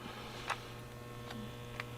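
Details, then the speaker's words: Normal buzzing from a shop wood stove damper fan: the stove is at 175 degrees, its damper opens at 170 and maximum is 180; a steady low buzz with a faint higher whine shows the damper is open. "Let's get our temperatures checked. 175 degrees. Sounds like the damper's open. I can hear"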